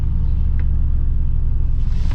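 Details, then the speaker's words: Jump-started salvage auction car with no check engine lights on: deep, steady low rumble with an even beat and no knocks or ticks. Normal healthy idle. "I don't see any check engine lights and she sounds really healthy"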